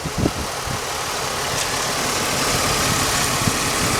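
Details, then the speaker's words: Engine with 200,000-plus miles idling steadily under hiss and background noise, no knocks or misses, after a rear brake job; it runs good. "This thing runs good. For 200-some thousand miles on it, this thing runs damn good."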